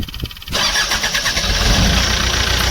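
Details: Bobcat diesel engine after a no-start, fixed by replacing a blown fuel pump fuse (fourth fuse; pump motor itself worked, fuse likely blew from high load): the starter whirs briefly, the engine catches at once and settles into a steady, even idle. Normal start and idle.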